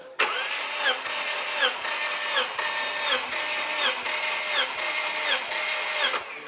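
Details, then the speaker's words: Turbo Subaru Outback XT, one-owner, compression test via remote starter button with a spark plug out (plugs nasty): steady even cranking pulse, no misses; cylinder 1 reads about 130 psi, above normal compression. "Is about 130-ish normal. 130-ish is above normal. Okay. I'd say so, yeah. All right, cool. Not bad for cylinder 1."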